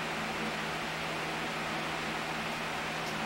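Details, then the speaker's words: 2015 Honda Ruckus scooter, sat for a couple of years: constant airy whir with no rattles or stutter as the electric fuel pump runs and moves fuel after a connector is disconnected and retried; fuel then leaks from the carburetor. "we have lift off here. It stopped. Try it again. I hear it pumping."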